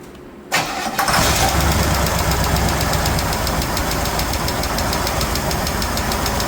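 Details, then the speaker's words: 1969 Chevelle run with valve cover off to check oiling; starts and settles to a fast crisp tick over idle, about four a second, traced to a loose rocker nut sitting higher than the others: valve train tapping. "That's the one right there, huh? That's the one that's tapping? Yeah. Oh, is it? Oh, yeah, it's loose."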